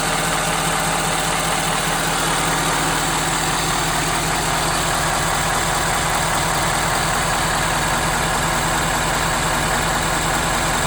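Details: 2017 Ford F250 Power Stroke diesel, warmed up at idle: loud steady clatter with a faint rhythmic knock underneath, less obvious now the engine is warm; cause unclear.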